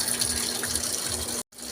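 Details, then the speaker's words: Panasonic top-load automatic washing machine after repairing a U12 error caused by a pinched wire: strong, steady gush of water pouring into the tub with only a brief break; good inlet pressure for normal filling. "So ayan napakalakas ng tubig. Ganyan dapat ang ideal na bagsak yung tubig para mabilis na pupuno yung tab sa required na naka-set na ano niya water level."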